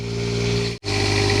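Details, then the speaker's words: Class A motorhome Quiet Diesel generator during its warm-up phase: a steady, even diesel drone with a constant low hum and no knocks or misses; running normally. "Actually, that was the uh that was the warm-up phase for the generator, and it's actually quietened down now. It's now that it's past the warm-up phase, and I just kind of wanted you to hear how much quieter it was even now."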